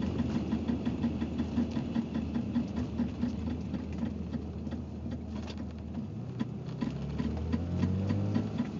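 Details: BMW 325ix engine clicking: fast, light, uneven ticking over the idle at roughly two to three per second; cause not clear.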